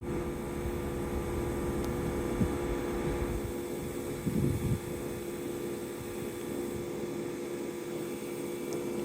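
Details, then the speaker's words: Panasonic air conditioner outdoor unit cooling at a 23° setting: a low steady mains-type buzz with faint hum comes from one section, and a shield was refitted. The buzzing persists loudly; cause suspected, not confirmed. "Yeah, the buzzing seems to be coming from this section."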